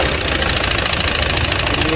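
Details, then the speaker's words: Audi Q3 2.0 TDI diesel with code P0016 (crank/cam position): rough loud idle with a hard metallic knock. The camshaft/cam plate has slipped out of position, so the timing reads wrong even when set correctly. First start needed a long crank after the injectors were removed. "काफी आवाज कर रहा है नकिंग करहा देख सकते हो कितना डेंजर नकिंग कर रहा है"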